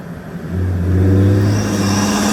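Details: 2020 Ford F-150 EcoBoost with aftermarket intake, phone microphone zipped under the hood while driving, comparing intake sound with vs without turbo silencers (vortex attenuators); steady rising tone with light whoosh under throttle, clean normal turbo intake sound.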